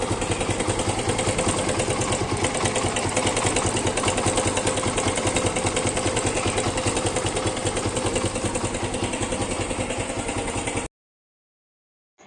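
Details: Suzuki Gixxer motorcycle single-cylinder engine at idle; uneven pulsing beat about two or three a second with a rough clattery edge over the exhaust: abnormal engine noise at idle.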